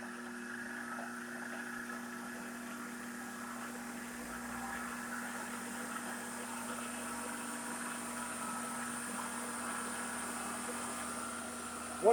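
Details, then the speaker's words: Shopsmith woodworking machine after two days of restoration, running at high speed (unmeasured, tachometer planned); steady, even hum with constant pitch, no knocks or rubbing; normal running. "We got that machine all running. It's still running."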